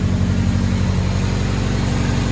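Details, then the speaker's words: 1974 Fiat 124 Spider with swapped K-series engine, first start, engine still cool, possible vacuum leak suspected, AFR high; steady deep low burble at idle heard from the rear at tailpipe, smooth without misses; idle probably about right. "The good news is I think the idle is probably where I want it to be."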